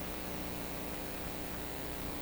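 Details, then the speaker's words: Clairtone console stereo receiver under repair: steady low hiss with faint constant buzz, no mechanical rhythm; computer interference leaking into the recording audio system, not from the receiver. "kind of right would sound like something coming out of a receiver is actually coming out of my audio system and it's computer interference with my audio system that for some reason i just can't drum out at the moment"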